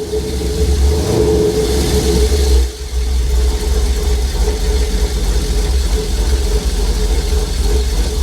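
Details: 1950 cabover, LS-swapped V8, first start after VATS anti-theft delete: steady idle with a quick throttle blip that dips and recovers cleanly, no knocks or misses; oil gauge pegged at 130 PSI, suspected faulty sensor.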